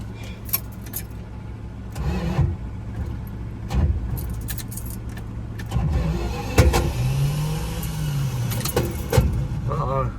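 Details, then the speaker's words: 1973 Dodge Dart Swinger that sat over a decade: short bursts of starter whirring with uneven churning, but it never fires; cranks without starting, cause unclear (possible lock-up suspected). "spinning well I can hear the starter spinning but man huh is it spinning man no the starter was moving prank yeah I could hear it"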